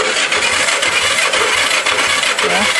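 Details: Go-kart engine with points and condenser ignition cranking quickly, about two turns a second, with no firing at all. No spark from dirty ignition points, which were then sanded and gapped.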